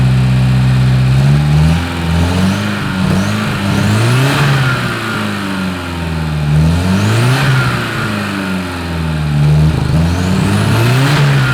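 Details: Porsche 924 Turbo: engine revs up and falls back cleanly, pulling evenly with only a faint occasional pop, running well; long-sat car, owner suspects bad old fuel causing the pop, exhaust off.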